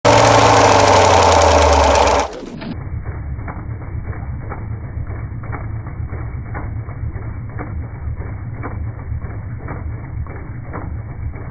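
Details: Jeep Durango 4.7 V8 at idle: a steady, light, even knock at about four per second over the idle. Engine knock, origin unknown.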